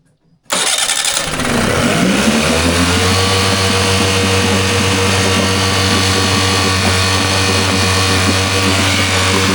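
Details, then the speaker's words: Mercury 9.9 four-stroke outboard, sat two years, fuel cleaner added: catches into an uneven, lumpy idle with low drone then stalls; owner thinks idle speed is set too low and plans carburetor adjustment. "Yep, it's stalled. I think what I'm going to do, I'm going to adjust the carburetor a little bit, maybe play with the idle and have it a little bit higher so it stays running. It's set a little bit too low."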